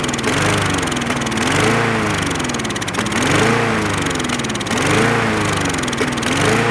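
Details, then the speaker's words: Trash-picked Craftsman lawn mower running on starting fluid: the small engine buzzes and surges unevenly, revs rising and sagging every second or two, then dies as if starving for fuel; a fuel-related issue, the carburetor is next. "this machine running and dying you have to be injected go go juice means that there's a fuel related issue once the go-go shoes gets inside the cylinder it burns and fires once it runs out there's nothing to replace it so it shuts down"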